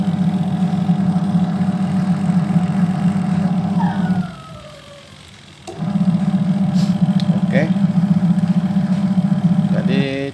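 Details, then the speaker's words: Sharp single-tub automatic washing machine converted to manual timer: steady low motor hum that stops briefly and restarts as drive reverses direction, even and smooth; conversion successful, normal wash agitation. "seperti ini ya temennya jadi kita berhasil merubah mesin cuci satu tabung otomatis rekapnya kita rubah ke manual"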